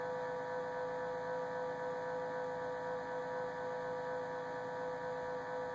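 Constant mid-high tone sitting above a low background hum, never changing pitch; an unexplained whine coming from the fridge.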